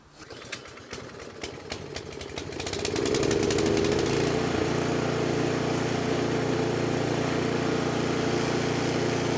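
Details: 24-inch snowblower that had sat two years and ran only briefly on starting fluid, after carburetor cleaning: pull-start clatter, then the engine catches and settles into a steady, even buzz with no misfires or hunting. Runs clean.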